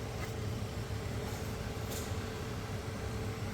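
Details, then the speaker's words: Sprinter van, replacement blower motor tested before install (old one screeched). Steady even fan whoosh with a soft hum, no squeal or rubbing. Normal blower operation. "ck it make sure it spins mine spins blows air no squeaks no nothing"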